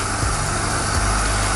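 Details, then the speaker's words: Portable flexible monoplace home hyperbaric chamber designed for 1.5 ATA: its compressor runs with a steady low hum under an even airy hiss as automatic relief valves open at 50 kPa, holding pressure and circulating air to flush exhaled carbon dioxide. "now you can hear the hissing sound of the automatic valves opening up when the automatic valve open up the air circulates inside the chamber and it removes the carbon dioxide exhaled by the person who is inside"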